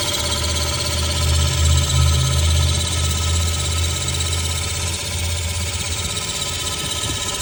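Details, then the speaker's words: 2003 Honda Civic at idle, camera under the car at the catalytic converter: loud low exhaust drone with a steady rattling pulse about three beats a second coming from the cat; advised to take it to an exhaust shop. "there is a noise that's coming directly from the exhaust and I'm going to get down with the camera so you can actually hear it I'm not going to talk CU it's very loud but it's right at the CAC converter"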